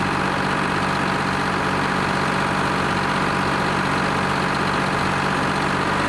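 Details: Lima 34 shovel, just started after a round of repairs, before greasing and digging: steady, even diesel idle with a constant low drone and no knocks or misses; normal, healthy idle.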